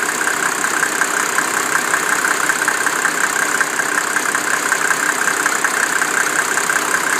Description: A ticking noise comes in and out. The vehicle does this when warmed at idle to 80 degrees Celcius.